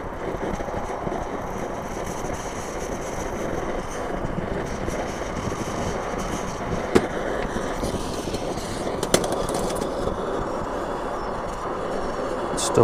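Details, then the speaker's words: Trangia X2 multi-fuel pressure burner after seven pumps, windscreen off in light wind, possibly not fully preheated: steady even hissing roar with no sputtering or surging, blue flame; burning normally. "splitter in probably not heated up properly but there you go blue flame it's better with the with the wind"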